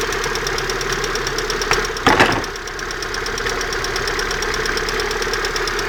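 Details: Regular light ticking knock in time with a steady idle, constant throughout, from near the exhaust manifold; owner asks what it could be, cause unclear.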